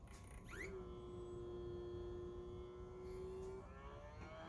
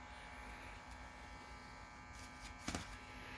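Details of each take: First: Optoma HD26 DLP projector at power-on: thin wavering whistle with stacked tones climbing in pitch, a squealing/chirping color wheel unable to regulate its speed; caused by heat-loosened foam curling into the wheel and its index mark. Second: Optoma HD26 DLP projector after repair of loose, curled foam under the color wheel: soft, even whir and faint hum with no squealing, chirping, rubbing or rattle; color wheel spinning normally.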